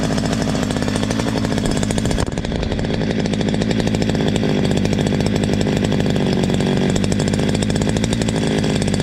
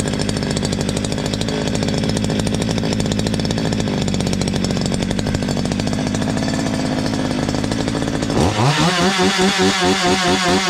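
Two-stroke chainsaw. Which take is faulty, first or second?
second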